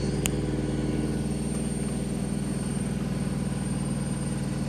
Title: Telefunken (Vestel) Loud Noise When On Spin